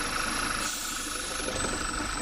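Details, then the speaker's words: Engine with PCV valve 06H 103 495 E, oil filler cap lifted at idle: strong hissing suction of air; excess crankcase vacuum means PCV valve has failed. "there we go did you guys hear that that suction area right there that that definitely does tell us that the pcv valve has gone bad"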